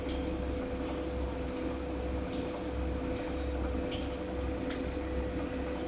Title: Godrej fully automatic washing machine making noise 3